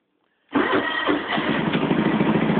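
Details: Cold start of a John Deere 325 at 615 hours on the choke, with icicles on the machine the day after mudding. The first attempt dies, then it catches and settles into a busy, slightly uneven idle after a few rough beats; the owner thinks the oil needs changing soon.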